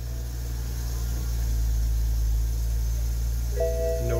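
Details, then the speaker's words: BMW turbo six after fuel supply fault diagnosis and repair, no fuel pump codes: starts and idles with a smooth steady low drone, no stumbling or surging; throttle snap spools turbo cleanly. "checks looking pretty good so far snap that throttle for Lister that turbo spooling up oh good that's that raw BMW power right there"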